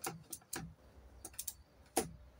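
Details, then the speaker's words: MTD 96 ride-on mower fuel shutoff solenoid on the carburettor bowl, key switched on and off: sharp single plunger clicks as it drops to pass fuel and lifts again; solenoid working. "Vous voyez, hop, dès que je mets le contact, il y a le petit capuchon là qui se descend et qui laisse passer l'essence. Et dès que je coupe le contact, il remonte."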